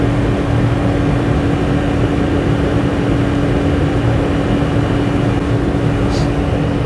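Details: Dyna Glo 220/180 BTU forced-air torpedo heater burning diesel in a pole barn: loud, steady fan roar with a constant hum underneath, no surging or sputtering; heater burning and running normally.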